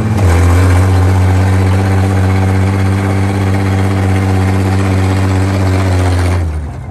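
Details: International 1-ton flatbed truck (stated 1947 or 1949), sat about 50-53 years, first start on gas with used plug wires; strong, even low drone for six seconds, no knocks or misses, then easing off; six running normally.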